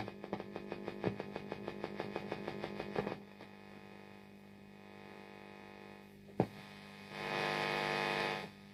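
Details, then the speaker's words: 1990s Vox AC30/6TBX, a well-gigged amp, powered up before its service with all knobs turned down: a steady low mains hum with a buzzy edge, very noisy at idle; crackly pots also noted. "Right, we're up and running. My word, that is noisy."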